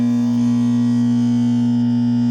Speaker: Parece até que tá dando curto. Aí você abre e ele para. Certo? Aí você fecha de novo, parece que ele já está acionado automaticamente.